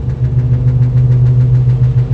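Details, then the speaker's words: Suzuki Jimny JB23W with 32-inch unbalanced knobby tires and 2-inch lift, second gear around 50 km/h: light quick tapping swish from the rear wheel as tire rubber nubs hit the bumper — tire rubbing on bumper. "it sounds like my uh driver's rear which is the right rear in this vehicle has some rubbing going on have to investigate that a quick update that rubbing noise was literally just the rubber nipples smacking the bumper"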